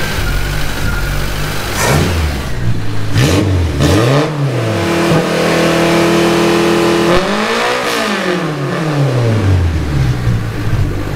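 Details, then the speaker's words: Cushman kei mini truck, rebuilt with timing belt and rings, burning oil off the manifold: idle rises and falls instead of holding; owner suspects too much ignition timing and plans to set the idle with a carburetor adjustment. "sounds like it's got a little too much timing in it so we need to pull some timing out"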